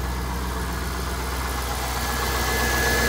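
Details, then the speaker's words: 2003 Corvette C5 V8, first start after sitting over 5 years, on old fuel, good fuel pressure: even, smooth, quiet idle with a steady low rumble and no knocks or ticks; normal idle. "Got good fuel pressure, and it sounds good. Nice quiet engine. I'm surprised. It actually is running pretty good on that fuel."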